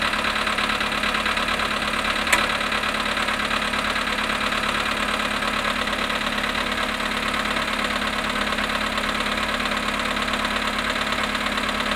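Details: VW Polo sedan, 18,618 km, at -5.5°C after standing 18 hours: cold idle with a steady light ticking knock, roughly two a second, over the engine hum; engine knock, source not pinned down.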